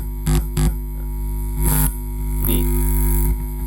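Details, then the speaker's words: 400 W mono power amplifier powered up with ordinary unshielded cable instead of shielded cable on the input: loud constant low mains ground hum under handling bumps. "Akan saya hidupkan power-nya. Woh, ng-ground, Guys. Lihat nih, ya. Kepang ini aja udah nge-ground, Guys."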